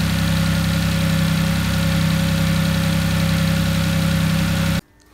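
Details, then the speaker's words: Audi S4 being rebuilt after purchase: after start-up it idles steady and even with a slightly throaty drone and no knocks, then shuts off; throatiness possibly from the exposed airbox cover and a defective, possibly leaking exhaust clamp; engine runs fine. "we have it she starts beautiful sounds fine prepare engine sounds good lit sounded a little bit throaty but that might be to do with the fact that the Mississippi air box covers exposed and possibly that exhaust clamp in the myth it was obviously defective"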